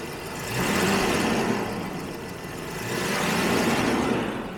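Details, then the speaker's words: 1977 Jaguar XJ12 V12, owner-rebuilt, first drive of the season from storage on last year's fuel, AC on; soft, even idle hum with no misses, knocks or ticks, gentle steady purr; very smooth, healthy normal idle. "but it's just running beautifully anime we're still running on last year's fuel that's not bad"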